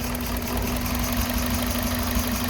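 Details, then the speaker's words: 2003 Toyota Runx, 1NZ petrol engine at idle, number 2 ignition coil disconnected to simulate misfire: idle turns lumpy, stumbling truck-like chug with vibration, dead-cylinder misfire. "And you can hear the difference in the sound there. It starts to sound more like a truck where it's kind of stepping."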